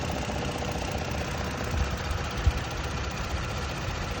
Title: 2022 Tacoma - 1400miles engine ticking noise